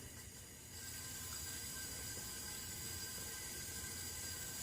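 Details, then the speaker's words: Simplicity 560 (HS50 engine) after exhaust valve seat cutting, leak-down test at about 94 psi inlet, listening at exhaust: steady soft hiss, little at crankcase breather, none at exhaust; valves sealing, ring blow-by low. "this is the intake here hope you can hear it there's there's no change in tone here"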